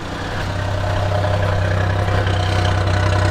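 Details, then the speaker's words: Engine after fixing high idle caused by sticking throttle cable and adjusting idle screw: steady even low idle, smooth regular beat, no hunting; sounds right, though still slightly smoking, owner suspects fuel pump pressure too high. "There we go. That's a much better idle. It actually sounds like it should."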